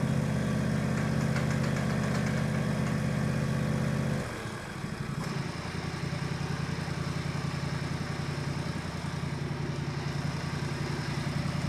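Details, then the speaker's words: Countax garden tractor small single engine, in neutral, choke used, first run-up before driving; steady regular idle putter, dips briefly then settles even, no rattle or misfire; normal idle, later ran 20 minutes without problems. "Success, it's alive. It actually works remarkably well."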